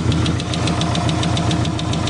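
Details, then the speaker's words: 1990 Subaru Legacy flat-four, first start after sitting 2 years with missing parts replaced: lumpy idle with loping, uneven pulses, sounds like running on three cylinders; cause unconfirmed. "it just doesn't sound right does it just let it idle let it idle i'm gonna unplug one wire at a time and see it sounds like it's on three cylinders for some reason doesn't sound right"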